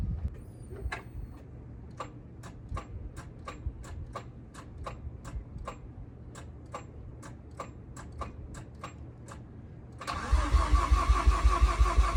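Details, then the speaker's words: Cold start: quiet, slow idle with sharp ticks nearly three a second, then a louder raspy, uneven exhaust note; idle sits low and exhaust sounds poor, to be replaced; low idle and rough exhaust on cold start. "start so as you can hear the idle's kind of low and the exhaust itself actually sounds like ass so we're going to get that replaced ASAP"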